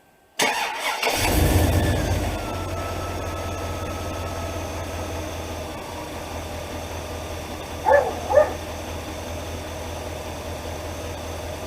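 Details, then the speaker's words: 2003 Chevrolet Silverado HD 2500, 8.1L V8: brief sluggish crank before catching and settling into even idle; minimum cranking voltage 9.59 V against the 9.6 V minimum, so a voltage drop at the starter is suspected. "now you can see here the current voltage is 13 and the minimum voltage start was nine five nine in the minimum value for starting a system is nine point six so it's actually right at it's basically right at the minimum that can be so that tells me the starter either we have a voltage drop at the starter"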